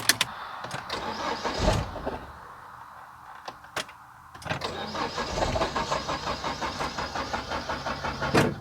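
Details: MINI Cooper that stranded the owner on the highway, with a replaced fuel pump and earlier fuel pump relay problems: the starter spins the engine with an even, quick chug for several seconds but it never fires. No fuel pump power due to a blown fuse.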